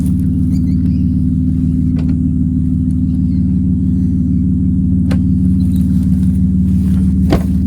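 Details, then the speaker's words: BMW E36, sat for ages, first start after fitting an eBay replacement fuel pump for a failed one: a deep, steady idle with an even pulse and no stumbling, hunting or misfire; normal idle. "wow it's funny what a good fuel pump would do to a car you can tell it's been sitting for ages smells a bit weird"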